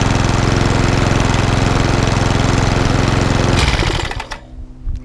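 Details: Lawnmower that hunted and surged from bad fuel, after carburetor clean (main jet suspected) and cleaned spark plug; even steady beat with no hunting or surging, then winds down and stops, normal running.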